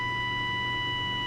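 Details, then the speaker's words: Midland walkie-talkie from June 1973 (Channel 14, 27.125 MHz), RF generator on the antenna input, gain very high, swept from 35 to 10 MHz. Steady whistle over low hum with no pitch change, indicating the circuit is not oscillating. "down to 10 megahertz, and you can tell there's no difference. So just an indicator there that the circuit for some reason is not oscillating."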